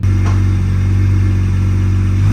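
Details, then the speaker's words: BMW E90 with N54 engine, around 130k miles, after front and rear turbo vacuum lines were replaced; the problem was a seized wastegate actuator. A deep, steady drone climbs cleanly as the throttle opens, pulling smoothly with no stumble. Healthy revving. "No, no, that's actually very healthy, bro. Yeah, that's how it's supposed to sound like, bro. You've been missing that sound for bricks."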